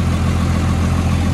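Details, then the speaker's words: Cummins diesel, cold start on a cold day with a little smoke: steady deep idle with an even low rumble and no knocks or misses, sounding clean and burning right; normal diesel cold-start idle. "well I mean it sounds clean sounds like it's burning right"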